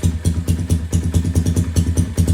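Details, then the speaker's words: Cheap pit bike left uncovered outdoors for over three years, first start on the second kick with the carb unadjusted and idle bumped up slightly: steady single-cylinder idle with even, regular exhaust pulses and no misses; healthy. "That's the first time I've even tried to start and run this thing. And it started on the second kick."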